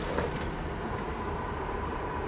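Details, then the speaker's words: 1965 Corvair (flood car) heater blower after replacement with new PM102 motor: steady even rush of air over low motor hum, no ticking, scraping or squeal; quiet and putting out much more air than the old one; healthy. "Okay, moment of truth. Nice and quiet. And it puts out a lot more air than it used to."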